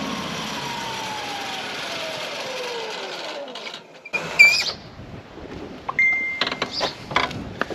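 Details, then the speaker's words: Ride-on mower blades switched off after running: a loud screech slides steadily down in pitch as the blades spin down, from a worn blade clutch whose plates rub against the outer ring. "So what you can hear there, that's the clutch. So sounds like the clutch plates are knackered."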